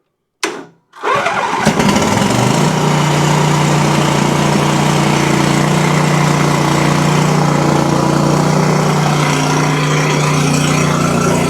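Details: Exmark Quest zero-turn mower, Briggs Intek V-twin, after a valve guide repair for bogging and loss of power under load; run on a jump pack because the battery is dead. Cranks, catches in about a second, then a steady strong run with muffler rasp, smoking from one side: normal running.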